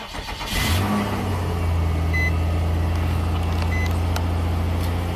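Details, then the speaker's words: 2005 Nissan Maxima V6 with a swapped-in 165,000-mile junkyard engine, after a wiring harness repair cured the cylinder 3 misfire (P0303): quick crank, catches at once and settles into a steady, even idle with no miss; warning lights still on. "Satisfaction. That's it. Man, it's got all the warning lights on, huh? Oh well. Runs perfect."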